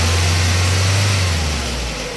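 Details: Ford Focus Mk1 running after a drive belt change, on a cold day; smooth, steady hum with no belt squeal or chirp, settling slightly toward the end; the earlier noise seems to have stopped, pulley straight though perhaps with slight vibration; normal running.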